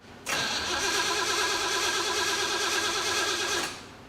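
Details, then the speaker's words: 1975 Jeep CJ-5 with Chevy 383 and Weiand 6-71 supercharger, hotwired after sitting over a year: fast, steady cranking for about three seconds, no firing; suspected evaporated fuel, mechanical fuel pump. "I bet you there's no gas in it it's been cooking for like a year yeah actually longer than that"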